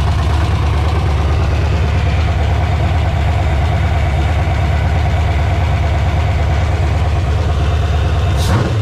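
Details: Resealed LQ4 6.0 LS V8 on a run stand with a newly installed Holley Terminator X: deep, even rumble at a steady idle with no misses, knocks or ticks; normal idle.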